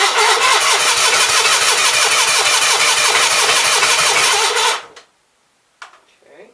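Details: Onan B43 twin after new rings, battery charged overnight, fuel fed from a hand-held jug: even cranking at about three turns a second for nearly five seconds, never catching. Owner suspects juggling the jug, choke and throttle is half the problem.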